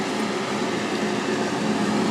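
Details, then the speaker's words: RV air conditioner run from a truck inverter after freeing a stuck fan, fan on high, switched to cool: steady even hum with a constant low drone and no knocks or rattles; compressor kicked on, running normally. "let's see if fan comes on now we have fan action now we're gonna check and make sure it makes cold air"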